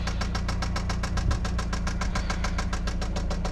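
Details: Eagle Talon ESi engine before its rebuild, running steadily with a hard, regular knock at about three and a half per second from the bottom end: rod knock.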